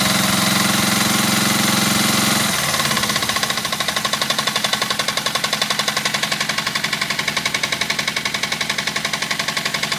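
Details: Suzuki GS500F twin idling with a steady sharp knock about four times a second; the knock stops above 2,000 rpm; cause unknown.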